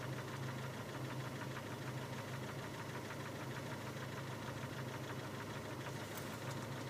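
Quiet idle with a light, fairly steady tapping knock running through it; engine knock present, cause not identified.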